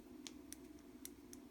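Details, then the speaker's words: Old worn RC steering servo, unpowered, rocked by hand: sharp, irregular light clicks about three a second from gear play. The play had caused shaking at certain positions, and a new servo has almost none. "you can hear the clicking, the play. So I want to check these two guys out and see how much play there is."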